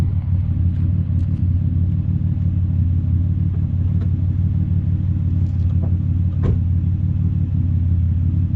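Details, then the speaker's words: Impala idling after a shop replaced the holed, broken exhaust pipe, heard at the tailpipe: deep steady low rumble with even pulses, no rattle, blow or hiss, much quieter than before; normal exhaust idle after repair. "So big difference from before. You can hardly even hear it. Just give it a little bit of gas here."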